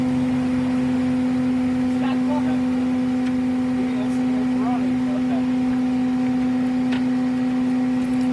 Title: Chevy van with bad wheel bearings